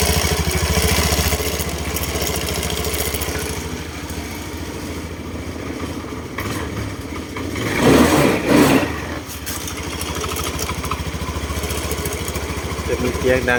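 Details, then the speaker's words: Honda Scoopy i scooter idling: uneven clacking about three to four knocks a second from the belt-drive CVT side case; suspected broken bearing or faulty drive pulley, not confirmed. "อัอีอัด้านไหนเลยครับไม่รู้ลูกปืนแตกหรือว่าไอ้มูเล่ไอ้ขับสายพ่านไม่ดีเดี๋ยวเรามาลองถอดถอดกันดูนะ"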